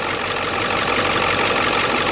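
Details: 2002 Ford Excursion 7.3 diesel 4x4 after new pulley housing, both pulleys and serpentine belt fitted for a seized tensioner: brisk, even idle clatter, no squeal, slap or rattle from the front; running normally.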